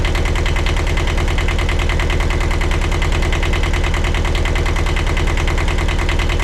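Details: 1982 Catalina 30 small marine diesel, after replacing the blocked exhaust manifold that caused poor cooling-water flow, with thermostat and water pump refitted: steady clatter of about two and a half beats a second, even with no misses. Healthy, settled idle.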